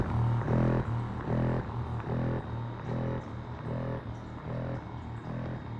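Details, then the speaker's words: OKUP M80-A dual motor electric executive office chair massage motors running; low buzzing hum pulsing on and off about 2.5 times a second in an even pattern like a massage gun, audible but normal massage vibration. "you do hear the vibrating motors going on, so it's best to have some headphones on. Although, you know, it's a vibrating pattern just like if you had like a massage gun."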